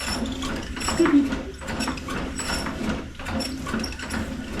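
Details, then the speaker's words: 1935 Austin 7 fuel pump, head earlier refitted the wrong way round, now reassembled and tested: light, even ticking about two or three times a second with no stumbling; the pump is pumping fuel normally. "Awesome sauce. So that's pumping fuel."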